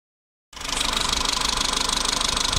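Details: Renault Megane 2, 1.4 16-valve petrol at idle: fast, even light ticking from the top end over the running note. These are noisy hydraulic lifters, shown before their fix.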